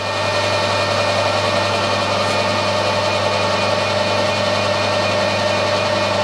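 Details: SNNC 165 lathe with ER40 collet chuck after final setup, runout within 1.5 tenths at the chuck and 2 thou at 10 inches out: steady even hum, constant tone, no knocks or wobble, running nice and true. Normal running.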